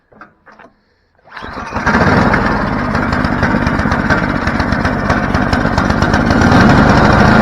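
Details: Snowblower after choke linkage fingers bent: brief pull-cord rattle, then catches on one pull and settles into a steady, even run holding its speed; normal start and run.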